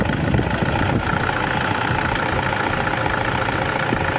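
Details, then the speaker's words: 2010 Toyota Innova idling after alternator pulley work: even, smooth idle hum with no squeal, chirp or rattle from the belt end; the earlier noise is gone and the engine idles normally. "So ayun mga kauto, wala nang ingay. So okay na mga kauto."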